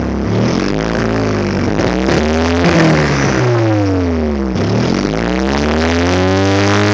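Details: 1999 GST Spyder with a dead injector, throwing EGR and TPS codes: the petrol engine idles unevenly with rpm wandering up and down, then is blipped. A suspected rough idle from the injector, not confirmed.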